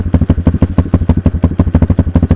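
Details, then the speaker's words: Kayo K2 230 dirt bike, cold and unstarted for a few days, on choke after a new lithium battery: strong, even single-cylinder thump at fast choke idle, no misses, ticks or knocks; starts much better. "Starts much better. I'm going to let off the choke and kill it and see if it'll start it up again."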